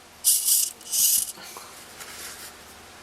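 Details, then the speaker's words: Mini tricopter yaw-mechanism servo during crash repair: two short, harsh, gritty crunching rasps as it drives back and forth, rough and uneven, because gears in the servo are stripped; spare gears are to be fitted. "all right I don't know if you can hear that but it's crunching a bit I've actually damn it I've I've stripped stripped some gears on this"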